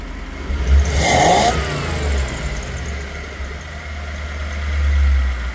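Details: A Toyota 1UZ-FE V8 on a Link Monsoon ECU with a 2-wire idle speed control is blipped a few times. A low, annoying throbbing pulse runs through each rev from the idle air control valve.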